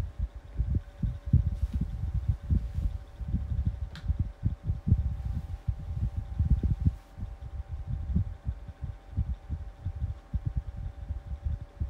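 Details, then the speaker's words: New 12-inch Kool-Flo high velocity fan on low speed: steady motor hum with an irregular low thumping and throbbing underneath; owner suspects a bearing issue, maybe oil not yet reaching the bearings. "But you can also hear that bearing issue. Maybe just the oil is not quite getting to the bearings yet."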